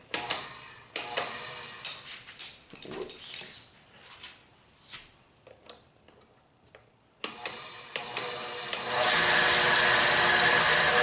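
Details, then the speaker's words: Bandsaw switched on and off as a run-smoothness check: after a few clunks it spins up with a dry, scratchy hiss over the motor because the blade is riding on a guide bearing. "All right, blade is riding. You hear that scratchiness. I can see our blade is riding on that bearing right here."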